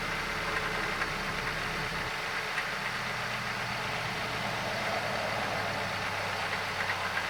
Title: Does this sound like a bad alternator pulley?